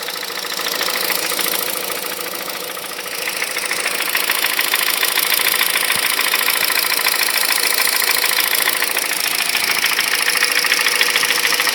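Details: 2006 Honda Civic Hybrid 1.3 IMA with a sharp, regular knock of about 200 per minute over a quiet idle. The knock goes silent above 2200 rpm. The owner wonders whether it is the camshaft, valves, bearings, timing chain or piston slap; cause unknown.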